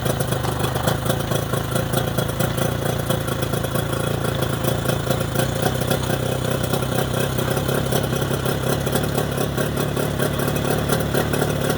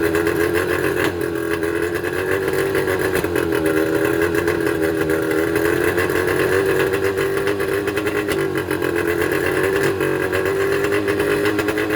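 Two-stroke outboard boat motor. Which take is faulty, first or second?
second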